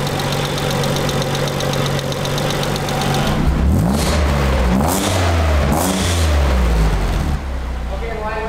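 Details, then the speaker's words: Nissan 300ZX after an engine reseal: steady idle with a slightly lumpy, picky beat and faint irregular knocks; owner thinks timing needs a little more adjustment, cause unconfirmed. "I think it'll need a little bit more sounds a little picky"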